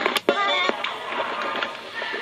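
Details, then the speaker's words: 1967 General Electric M-8020A rim-drive reel-to-reel tape recorder, live singing recording: pitch wavers quickly and unsteadily; fast flutter from flakes of rubber on the motor shaft changing its diameter, before the fix. "it gave a very annoying fast water it is singing recording recorded live you can hear what the fast flutter sounded like when that problem was there"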